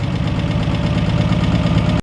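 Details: 1961 Ford Falcon left to rot 15 years, first running after revival: lumpy, uneven low thumping at idle with an irregular beat before it cuts out, like a cylinder not pulling its weight; cause suspected, not confirmed.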